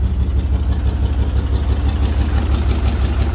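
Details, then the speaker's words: 1992-94 Chevy K5 Blazer project truck, cold day, idling: steady low idle with even throb, tone now clearly changed but still smoking badly; owner suspects blown head gasket or intake manifold gasket, coolant being lost. "It's really changed its tone now. Still smoking bad."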